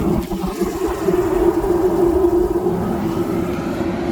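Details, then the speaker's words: Propane construction heater from a Sunbelt Rentals auction, regulator OK, turned up to high: a steady, even roar with a low hum, no sputtering or surging. Burner lit and running normally. "there we go turn it up to high give it a second yep and there it just lift"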